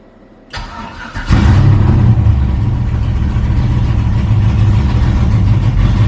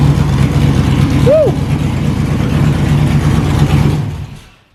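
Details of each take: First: Cheap LS-swapped Chevy S10 drag truck, cold start with no throttle: cranks, catches and settles into a loud, lumpy, choppy low idle; reads way rich until it warms up, with backfires and an exhaust leak present. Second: Stock GM 5.3 V8 with an aftermarket cam and small radiator in an LS-swapped S10 drag truck: deep choppy lope rising under a throttle blip and falling away cleanly, no knocks or misses; healthy cammed V8.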